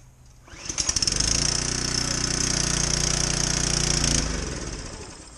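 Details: Generac 3100 psi pressure washer, stored downstairs: rapid sputtering pulls, then engine fires and runs roughly about three seconds before dying; hard starting, won't keep running.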